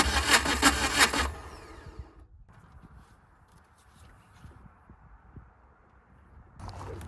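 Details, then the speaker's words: VW diesel-swapped Suzuki Samurai cranks rapidly for about a second without firing. No fuel bubbles are seen, so the owner suspects the injector pump isn't working; timing is not yet verified. "I don't see the bubbles coming out of there. So, leads me to believe that the injector pump's not going."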